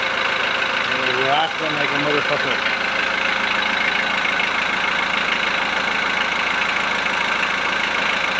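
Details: VW Transporter T4 1.9 TD after replacing worn cam followers, air box and timing belt cover refitted: after a brief early noise, settles to even, steady idle with no top-end clatter; rattle gone, quite a difference.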